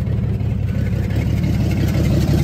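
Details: 1954 GMC 150 barn-find truck revived with new plugs, wires, rotor and fuel line, glass-top fuel pump now pumping: old six-cylinder chugs at a steady idle with a deep even beat, no knocking or misfire; normal running.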